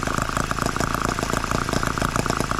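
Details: Microcosm H74 small engine after piston ring replacement for low compression, after nearly two tanks of fuel and several heat cycles; rapid, even firing beats with steady pitch, no misses or knocks, running smooth and healthy.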